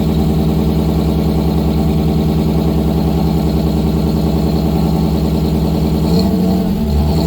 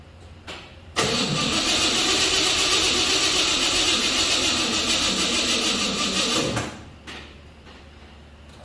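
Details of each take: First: 1955 GMC 100 with freshly rebuilt 327 small-block, first start on a fresh battery after priming the carburetor: steady, even low rumble, smooth firing, no knocks or ticks at fast idle; normal running. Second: 1955 GMC 100 with freshly rebuilt 327 small-block, first start attempt with carburetor bowls filled, spark confirmed, timing unknown: about five seconds of labouring slow cranking that never catches, blamed on a bad battery; slow cranking, no start.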